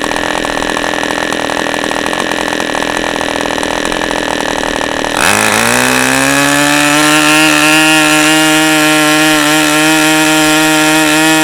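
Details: OS 40 FP glow engine, first run on a stand, 11x5 prop, OS #8 plug, 5% castor/synthetic fuel, after the air bleed screw was opened and the idle screw adjusted; high buzz drops to a slightly wavering idle; low end still a bit rich.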